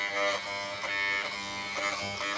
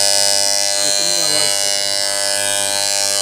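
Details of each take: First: FYC hair trimmer on AC power after its blade was tightened and the teeth reshaped: a steady, smooth high-pitched buzz with no rattle. The loud noise is gone; normal running. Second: FYC hair trimmer on AC power before repair: a loud, harsh, steady high-pitched buzz. The armature mount is loose, letting the blade rattle.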